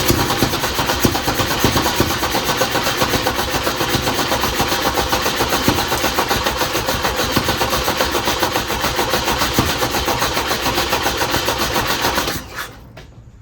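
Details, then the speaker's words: 1967 Volvo 122S Amazon at idle: sharp, loud puffing tick, steady at roughly four per second, until the engine cuts off. Exhaust leaking through a hole at the header flange that could not be sealed; a new exhaust was bought. "has made a lot of noise from the hole on the flange here. I've not been able to get it sealed up."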